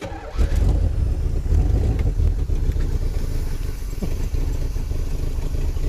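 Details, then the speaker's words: 1984 Corvette started after a distributor that had been installed backwards was flipped. Deep, lumpy, uneven fast idle with heavy smoke; owner wonders whether it burns oil or the exhaust is plugged. "it burns oil doesn't it [Laughter] I don't know how to fix that smells why is there so much that is because of why like why was it pushing smoke that bad maybe the exhaust in general is plugged"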